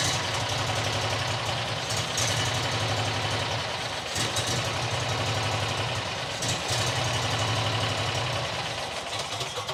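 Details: New John Deere XUV side-by-side that won't idle: rough uneven idle with sagging stumbles, nearly dying; owner suspects dirt in the carburetor sucked in after a rodent nest got in.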